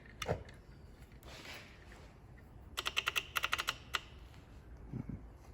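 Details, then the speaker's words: High energy ignition distributor (up to 60,000 volts), bench-run with the cap off and before a ground path is added: quick sharp clicking snaps, about a dozen per second, as the spark tries to escape. Strong, healthy spark. "you can hear the clicking that's the spark trying to get out so we're going to give it a path"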